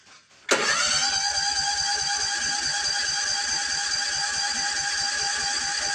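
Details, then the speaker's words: Toro TimeCutter riding mower that only runs on choke, test start after cleaning out a vapor-locking part: steady rapid starter churning with even compression pulses, never catching; fuel can be smelled. Cranks but no start; fuel filter checked next. "Nope. We got nothing. Smell fuel though."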